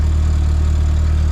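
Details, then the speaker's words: VW Golf MK4 GTI 1.8T idling after the cracked resonator was repaired with welding and V-bands and a big muffler fitted: steady, deep, even rumble, no puffing or ticking; sealed exhaust, though owner suspects a small leak near the turbo. "let's start it up and see what it sounds like it should be quiet really quiet it's a big old muffler not leaking that makes me so happy"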